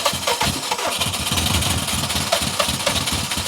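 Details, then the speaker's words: Long-sitting Subaru STI, throttle held wide open, owner thinks it may be flooded and the gas old: half-catches and chugs unevenly, stumbling into a very low idle; owner says it sounds healthy, maybe a bit frozen. "come on just freaking start up this gas is probably pretty old too come on I mean it's halfway going it's idling like at 2 RPM I don't care"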